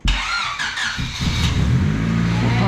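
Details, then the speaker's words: Turbocharged 1.6L SOHC non-VTEC Honda Civic D16Y7, 0.63 A/R turbo, 8 lb wastegate spring, stock ECU untuned, first start after oil pan gasket: cranks, catches and settles into a steady even idle with no knocks; normal start and idle. "it's alive it runs good actually it sounds like it's idling okay"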